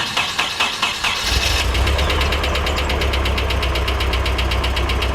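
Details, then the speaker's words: Nissan 240SX S13 coupe, original KA24E engine, first start after six months off with battery relocated and new radiator and electric fans; cranks and catches to a rough, shaking idle with a fast light tick, source unconfirmed. "Got a little bit of ticking going on. Say what? I mean, she's running."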